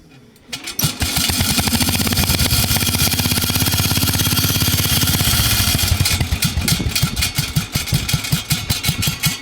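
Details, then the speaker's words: 1966 Bolens 1050 tractor, single cylinder, freshly repainted, loud muffler pointing straight up. It catches into a fast chuff, then turns loose and uneven dropping toward idle. Owner says it normally idles lower but is picky today: rough idle. "hear how low this thing will idle oh normally idle's lower but feeling picky today"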